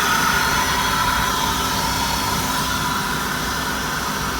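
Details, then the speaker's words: GM 3.8 V6 at idle, checked at a salvage yard: even, steady idle with a smooth hum and no knocks, ticks or misses; sounds healthy, like a typical 3.8. "Okay, I'm gonna go check the engine bay out with you guys and we will see what we think. Sounds like a typical 3.8."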